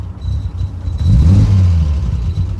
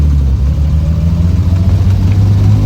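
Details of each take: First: Triumph TR6 driving: low, lumpy rumble that sags and stumbles at idle; idle set too low, fuel possibly old (owner suspects); otherwise has fuel, oil and battery. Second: Triumph TR6, likely 2.5 straight six, four-speed probably without overdrive, recently refreshed, idle set a bit low, heard while driving: strong even low exhaust note climbing smoothly with revs, no misses or knocks; healthy engine under acceleration.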